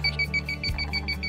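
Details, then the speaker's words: 1989 Champion Ultra Star motor home propane detector: rapid, evenly spaced high-pitched beeps, about seven a second, because the detector has not been reset, so the propane valve stays shut; a reset is needed. "if that noise is coming from this and the reason it's beeping is because it says it hasn't been reset yet"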